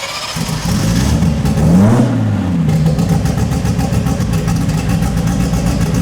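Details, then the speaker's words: 2700+hp VL drag race car at start-up, throttle untouched: engine fires and climbs to a high rev, pitch rising then holding unsteady; idle surging high, expected to idle too high, cause unclear. "It should idle. I'm guessing it'll idle too high."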